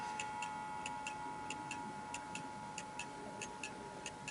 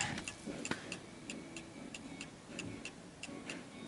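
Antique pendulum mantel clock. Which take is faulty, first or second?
first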